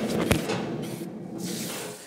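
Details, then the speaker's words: Amphicar wheel spun by hand: knock then rough gritty rumble as it coasts down, with suspected play in the wheel bearing; worn from water ingress despite water-resistant grease, replaced almost yearly. "let's spin it and see what it sounds like how noisy that wheel bearing is why do you think that's so noisy"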